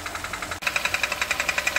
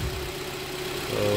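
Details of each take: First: Kia Cerato 1.6 automatic idling in drive/reverse/neutral, barely in park: sharp, tinny knock about twelve times a second tracking engine speed, sounding like engine; timing chain previously replaced elsewhere; actually a cracked flexplate. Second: Kia Cerato 1.6 automatic after replacing the cracked flexplate; the knock was not from the engine. Warmed up and test-driven, it idles smoothly with no knock in reverse or drive.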